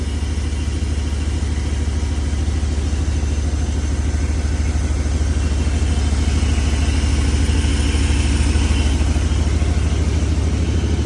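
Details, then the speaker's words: 1994 Chevy Silverado C1500 5.7L 350 V8 idling: heavy, steady idle with an added dull mechanical rumble from the worn, rusted AC compressor, audible from inside the garage; engine itself steady with no vibration. "AC compressor is making a little noise look how rusted it is that needs thrown away"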